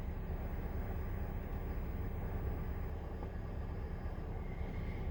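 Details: 2005 Honda Civic DX running after rod-knock repair with polished crankshaft: steady even low rumble, no knocking or ticking; engine sounds smooth and healthy.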